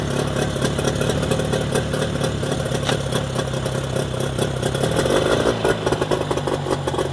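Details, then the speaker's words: Mercury 25HP two-stroke outboard in neutral after the Boyesen power reeds are fitted, with the idle being set: crisp, even idle with a light rattle and steady firing, no stumbling or surging. Normal idle. "send me your reaction again running very good hey it works great now you're playing with the cam all right for the idol idol okay"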